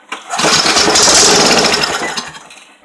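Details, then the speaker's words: Free scrap-dumpster Briggs & Stratton 3.5 hp engine, sprayed with starting fluid: one pull and it catches straight away, buzzing briskly and evenly before fading. "that one runs good stuff there"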